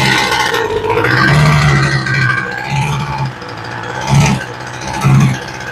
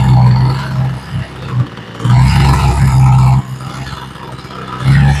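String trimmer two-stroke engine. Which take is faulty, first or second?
first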